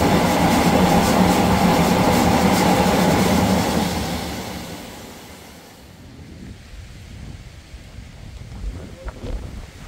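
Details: Museum steam boiler being put to bed at end of day: loud rushing roar of escaping steam for about four seconds, then dies away; normal boiler blowdown.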